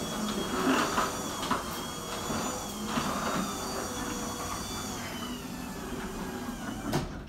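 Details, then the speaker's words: Garage door opener just after lubricating moving parts with lithium grease to cure loud squeaking: steady motor drone for several seconds with only a few light squeaks as the door travels; runs smoothly, grease still working in. "let's go ahead and open the door and again the first couple times you will hear a little bit of sound let that lithium grease work itself in"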